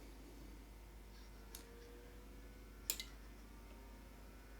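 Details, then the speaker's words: Mesa Boogie RA-100 tube amp converted from 120 to 240 volts, brought up slowly on low voltage around 140V: two crisp relay clicks, then the fans kick in with a faint hum, powering up normally. "i can hear the things flat clicking uh because lots of relays in these amps i'm 140 volts i am now clicked a bit more fans kicked in"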